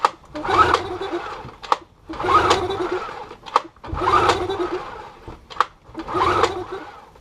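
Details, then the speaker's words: Yamaha 15 hp two-stroke outboard after sinking, water cleaned out: repeated rope pulls about every two seconds, each a short whirring spin that dies away; cranks but never fires. "So after lots of furious pull starting without any success, sort of sat down, had a cup of tea, had to think about it, and"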